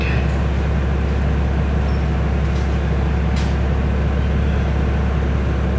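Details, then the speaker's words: Carbureted engine that used to stall with AC on, after fitting an AC compressor clutch damper box and setting idle near 1,000 rpm; low even hum holds steady with AC running, no dips, surges or stalling. "ผมเปิดแอร์จะไม่มีดับแล้วนะครับจะไม่มีหลับแล้วอย่าหลอกจะนิ่งเลยนะครับจะไม่มีดับล้ะนะครับ"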